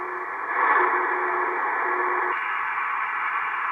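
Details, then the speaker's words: Estate-sale Icom IC-720A HF transceiver, first power-up before restoration: on 20 meters steady hiss with a faint carrier and signal noise through the speaker, weak but receiving; receiver working normally. "not great but she's like we hear something humph looks like I'm bumping my camera so it looks like 20 meters at least is receiving so great"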